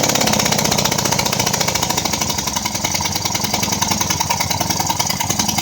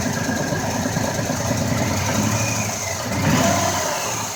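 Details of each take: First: 2004 Ford Escape, just started and moved into the garage: loud, sharp, hissy puffing tick keeping time with the engine like escaping combustion gas; spark plug blown out of its threads, to be repaired with a Time-Sert insert. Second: 2004 Ford Escape, formerly misfiring cylinder 4: even, steady idle with a smooth hum and a brief rev rise, no ticking or puffing; normal idle.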